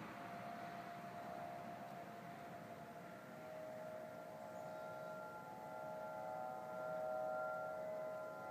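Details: Distant wavering siren-like wail with steady pitches stepping and swelling over faint hum, Denver CO, early November 2012; recurred same time and weekday a month apart, ends "powering off"; owner assumes man-made, source unclear.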